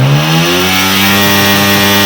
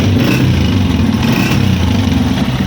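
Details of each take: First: 2025 Honda CG 125 with a reported misfire and a pressure-leak-like noise from under the carburetor: RPM check, clean steady rev with an even exhaust note, no stumbles, popping or hiss; engine pulling smoothly and firing evenly. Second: 2025 Honda CG 125 at idle: uneven, stumbling idle with dropped beats and a faint hiss, engine misfiring, with air heard leaking from under the carburetor; misfire from the choke left half on.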